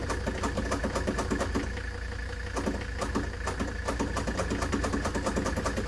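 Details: Ford Taunus 60-degree V4 in a 1970s Layton roller compactor, said to run about 20 seconds then die, now cranks with quiet, regular beats about three a second and never catches.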